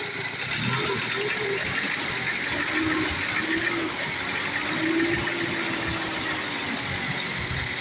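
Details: Old-model Ford diesel that had been hard to start, running after injection and injector work (white smoke seen earlier): even, clattery idle with no misses, stumbles or hunting; normal healthy idle.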